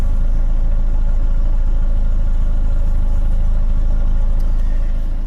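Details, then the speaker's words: 2009 Chevy Cobalt four-cylinder petrol, 341,000 miles, check engine light on: steady low idle with a faint irregular stumble, a slight misfire also felt while driving; about to be scanned for codes. "currently the car has 341,000 miles on it well just by listening to it you can kind of hear that it uh has a slight misfire"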